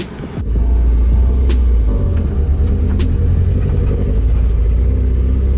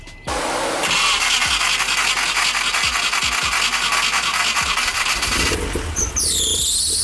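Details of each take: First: Nissan 240SX S13 driving around the block on its first drive: deep rumble under load surges unevenly with scattered pops, breaking up and not running correctly; misfire from ignition timing drifting with a loose distributor. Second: Nissan 240SX S13 after being retimed without a test light: several seconds of cranking, then it catches and settles into a steady, even idle with a high whistle over the exhaust drone, still smoking; normal start and idle.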